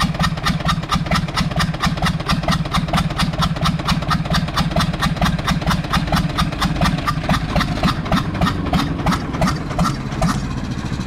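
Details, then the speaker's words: Universal 550 diesel tractor idling after the injector was checked and found fine; it earlier showed blue smoke, misfires and a fuel leak. Sharp, regular knocks about twice a second ride over the idle. The rod bearing is worn, with up-and-down play. "kol yatağı kol yatak gitmiş aşağı yukarı oynuyor aşağı yukarı T pek bir şey yok ama to to to to to to tak ediyor değil mi tak tak tak"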